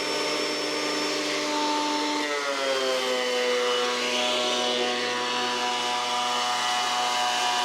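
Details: Old planer after replacing knives and reassembling with new bolts, test-cutting a board at one full crank depth: steady high motor whine drops slightly in pitch as the board feeds, smooth even cut, no knocking; running normally.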